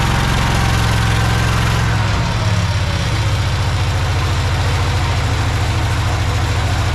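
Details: Project tractor's small engine, fed fuel from a Lucas oil additive container into the hose, with a slightly leaking fuel pump diaphragm. It gives a steady low thumping idle with an even beat, no misses or knocks, and the carburetor is doing its job. Normal idle.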